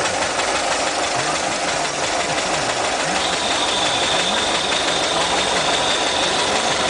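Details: Engine idling with a slightly uneven pulse, then a thin steady high whistle of air sucked past a vacuum leak, found while changing the fuel lines.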